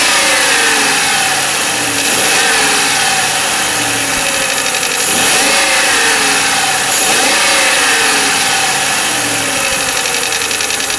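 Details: 1995 Lincoln Mark VIII LSC, Ford 4.6 DOHC V8, at idle: quick, fairly even tapping about four per second; unclear whether it is lash adjuster tapping or piston slap/rod knock.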